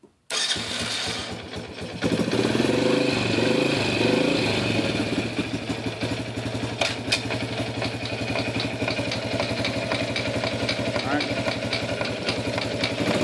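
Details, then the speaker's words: Yamaha Champ YFM100 ATV, about a 1991, with a previously replaced carburetor. It starts and idles with an uneven ticking click, but in gear it clicks and won't move. "when he puts it in gear it just clicks clicks click click but it doesn't go anywhere"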